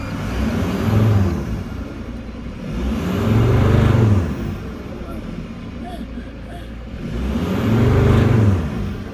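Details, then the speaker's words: Mercedes Sprinter diesel with P299 turbo underboost code, other turbo actuator plugged in: three rev blips each rise and flatten at the same modest speed, no longer reaching about 3,000 rpm as before; held back, limp-mode rev limit. "it's certainly different now that I'm plugging it in plugging it in it's not going about 3,000 rpms like it did before"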